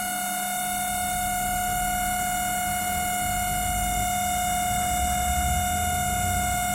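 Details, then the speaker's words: LG MC-7688DP microwave oven, customer complaint of intermittent loud noise: constant buzzing hum with a steady high whine from the fan motor, which needs greasing or replacement. "जो आवाज़ आप सुन रहे हैं ये मोटर की वजह से आता है। ये मोटर, इसको वायरिंग ग्रीसिंग करना पड़ेगा, ये तो रिप्लेस करना पड़ेगा।"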